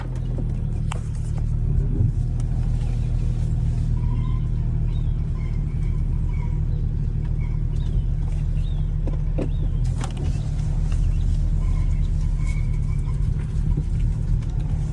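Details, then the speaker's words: Salvage BMW M235i (F22, N55 turbo) with stored code 135A08, Valvetronic servo motor position sensor signal not plausible. A deep, lumpy rumble with an uneven pulse at start-up, at idle and in light driving. It runs rough from the Valvetronic fault. "135A08, Valvetronic servo motor position sensor signal not plausible, which in turn made the car sound like this when I turned it on."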